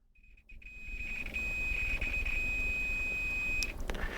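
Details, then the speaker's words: Continuity tester on a homemade capacitance decade box, probes on each end of a row: a steady high beep holds for about two seconds, confirming electrical contact and a continuous, good connection. "As you can hear, the tester beeps, which means we have an electrical contact."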